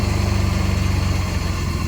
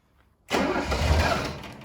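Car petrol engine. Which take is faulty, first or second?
second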